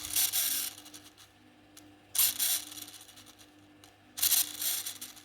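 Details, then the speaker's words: Tamiya Mini 4WD Super 1 chassis gearbox turned by hand with a yellow gear meshed to a 32-tooth gear: short scratchy crackling bursts instead of a smooth whirr; mismatched gear pairing meshing roughly, worse with the motor. "nggak enak didengarnya gitu Jadi kurang lancar gitu ya apalagi udah ketemu gir ini ditambah lagi pakai dinamo jadinya kayak kresek-kresek gitu nggak enak bunyinya"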